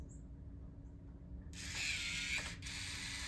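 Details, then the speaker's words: New replacement ULTRALOQ U-Bolt Pro smart deadbolt, auto-lock triggered 10 seconds after the door closed: about one second of high-pitched motor whir as the bolt throws. Motor works normally, so it is not a power problem; lock/unlock and code still fail. "So how about that? That's interesting, right? So it has the power. It's not a power problem."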